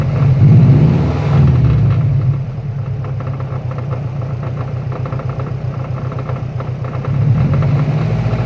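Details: Running car engine with a steady knock about four beats a second over a low rumble, which appeared suddenly; owner suspects rod knock or a bad timing tensioner, not yet diagnosed.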